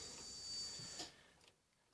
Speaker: just prime the fuel line but you have to wait if I switch it off and wait I think it's for 15 seconds you'll hear the fuel pump come on again